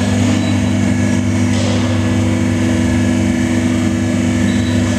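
Steady, even hydraulic pump hum through the return stroke with no knocking or strain; a normal baler cycle.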